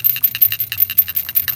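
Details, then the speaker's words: New PCV valve for a 2013 Toyota Camry SE 2AR-FE, shaken by hand: crisp, light metallic clicks about four or five a second, its internal part moving freely unlike the old restricted one; normal PCV rattle. "this one I and I can feel whatever is rattling inside is a lot more free"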